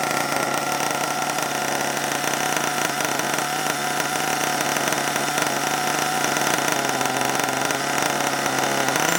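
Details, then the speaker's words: HPI Savage 21 nitro RC truck, after being drowned in water, started with throttle open and left running hot: steady high-pitched buzzing drone at even speed with no misses or rattles; small nitro engine runs cleanly. "yeah running well now though i'm pleased with that"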